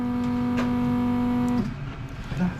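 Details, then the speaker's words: Land Rover Discovery Td5 diesel with the key on, during a diesel leak hunt near the fuel filter: a steady mid-pitched hum lasts about 1.5 seconds, then cuts off. A loud fuel pump priming whine; the noisy pump is suspected, not confirmed. "yeah it's got to be a noisy fuel pump you might see with the fuel pump G yeah there it is coming from L un"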